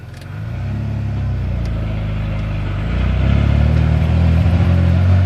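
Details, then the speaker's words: 1991 Ford F-150 4.9 inline-six pulling away in first gear at light throttle, about 30 percent: uneven stumbling beat, about four pulses a second, misfire; code 33 EGR, new plugs, cap, rotor; owner suspects TPS. "but i seem to have this weird misfire issue let's see if i can replicate it it's in first gear see there it goes i don't know what it is"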